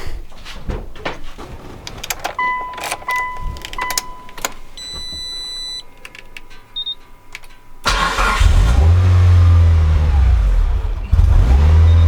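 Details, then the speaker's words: Mitsubishi EVO first real startup after fuel pump hanger wiring work, no air filter fitted, airflow meter in: engine catches after beeps and idle speed creeps upward on its own instead of settling; hunting idle, no check engine light. "Strange that it won't keep idle."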